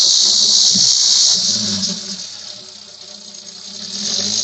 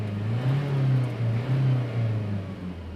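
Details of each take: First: Engine under hard revving, heard from the front of the engine bay: a loud, steady, high-pitched metallic hiss from the turbo that fades and swells with the revs. The customer heard it on acceleration, and the turbo wastegate is stuck shut. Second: Diesel engine revved after the turbo vacuum solenoid/actuator check, first from inside and then from outside: a steady low note climbing and settling smoothly with no whistle, rattle or knock. The earlier turbo noise under acceleration is gone.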